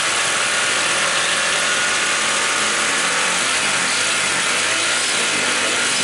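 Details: Honda CB150R after fixing no-start (fuel pump not humming, no spark): steady, even engine hum at constant pitch with no misses or knocks; idling normally, battery 13.2 V engine off, charging normal.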